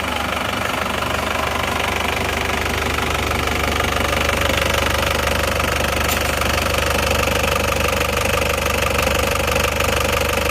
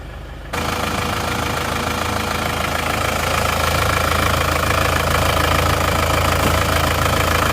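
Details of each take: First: Isuzu Panther diesel just rebuilt (new rings, liners) after overheating from lost coolant and heavy blow-by, first start, still cold: steady, even idle clatter about two beats a second, no wavering; runs smooth, some smoke while cold. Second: Isuzu Panther diesel with severe blow-by after running out of radiator coolant, fitted with a large oil catch tank filling quickly: loud steady idle with heavy clatter and a rhythmic crankcase chuffing, about three puffs per second; severe blow-by.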